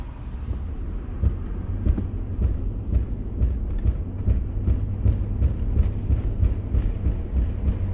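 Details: Toyota 100 series (Lexus LX470) driving after a hard day on trails: steady rumble with rhythmic thump about twice a second keeping pace with the wheels; owner suspects damaged CV joints, unconfirmed.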